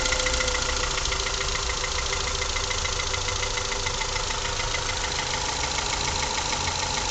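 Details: Honda Accord CF4 with F20B engine at idle: fairly regular light knock about three times a second over the engine note; engine knock, source unknown.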